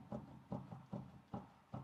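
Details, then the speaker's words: Land Rover Discovery 3 front wheel raised and rocked by hand: hollow, low clacking knocks about three a second with play in every hand position, confirming a worn front wheel bearing, later replaced. "我们两个手一左一右搭在轮子上稍微去晃动一下轮子感受一下有没有松动能不能听到嘎哒嘎哒的声音"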